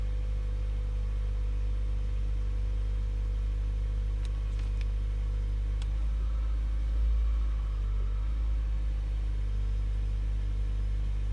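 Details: Toyota Auris Hybrid / Prius: steady low drone with a faint constant whine on top that wavers slightly midway; whining noise of unknown source.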